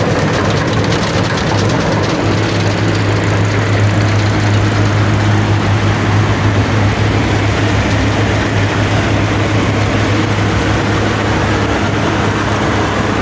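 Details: Allis-Chalmers Gleaner EA combine separation unit run for final checks before the threshing unit is refitted: steady even mechanical roar from threshing drum and shakers, no knocks or rattles; not much noise, running normally.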